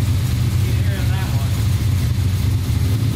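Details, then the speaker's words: Small-block Chevy 350 at idle: a deep, steady knock beating along with the V8 rumble. Teardown found a spun number 3 rod bearing as the cause of the knock. "I discovered that the number three rod had the bad bearing on it that's what was causing the knock in the engine"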